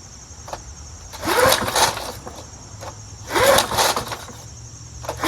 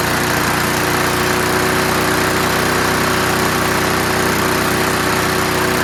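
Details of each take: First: Curbside-found Snapper Hi-Vac push mower, pull-started. Three short firing bursts about two seconds apart, each dying quickly. It has spark and fires briefly. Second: Curbside-found Snapper Hi-Vac push mower now running on its own. The throttle lever hits the ground at about 2/3, so it revs high. Fast, steady single-cylinder clatter with slight shake, no misfire. Normal running, high speed.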